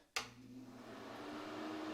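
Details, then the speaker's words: Bathroom exhaust fan after fitting a new replacement motor (model 9908-0165; old one moisture-damaged): thump at switch-on, then soft whoosh building to a steady quiet hum; flows well, runs normally. "there we go flows good nice and quiet"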